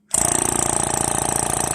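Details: Power brake vacuum pump with a new one-piece adjustable shut-off relay fitted: it switches on into an even, rapid pulsing hum at about sixteen beats a second with no knock or rattle; it runs normally and quietly.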